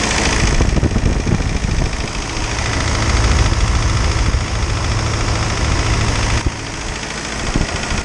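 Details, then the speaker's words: Isuzu 4BD2T turbo diesel at initial startup, warming up before the thermostat opens: deep, even clatter at a steady low idle, no misses or extra knocks; healthy engine. "man it feels good to hear this thing running finally"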